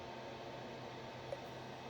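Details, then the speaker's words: XY-FZ35 35W mini electronic load drawing 2 A at about 5 V, roughly 10 W: quiet, steady airy hiss with faint low hum, fan at constant speed, nothing rubbing or ticking; small cooling fan running normally. "but anyway it's working it started already the fan it is more or less 10 watts it's it's nice"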